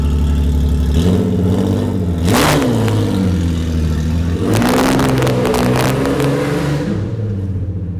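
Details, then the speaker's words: V6 Ford Mustang, owner's first car bought at 16, on its second engine: deep smooth note climbs on quick throttle blips and settles back, no knock or tick; healthy, unusually deep-sounding V6. "This is easily one of the coolest V6 Mustangs you guys will ever hear and see. Listen to this baby. It still sounds as good as I remember."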